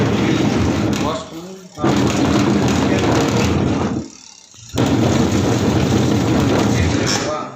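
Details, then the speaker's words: Whirlpool semi-automatic twin-tub washing machine: the agitator runs in rough, growling bursts of a few seconds with short pauses between. The gearbox is worn and confirmed to need replacement. "இது வந்து பார்த்திங்கன்னா on பண்ணி பார்த்தீங்கன்னா இந்த மாதிரி தான் sound வரும். So நம்ம இது வந்து பார்த்திங்கன்னா கியர் பாக்ஸ் தான் கன்ஃபார்ம் சேஞ்ச் பண்ணணும்."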